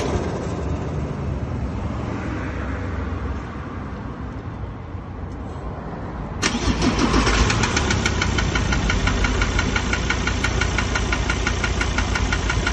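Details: Ford Ranger diesel with 66,000 km, no power loss or oil consumption: after start the idle has a hard, regular clatter about three knocks a second; injectors or internal engine fault suspected.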